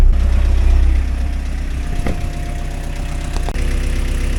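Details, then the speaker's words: Pel Job LS2000 excavator diesel, first start after fitting a replacement Rexroth A10VO28 variable displacement pump filled with oil: smooth, even clatter at idle, about four beats a second, unloaded, no knocking. Normal idle. "It's running smooth, and that's the first time in a long time. You can hear this engine is not working at this moment. It's completely idle."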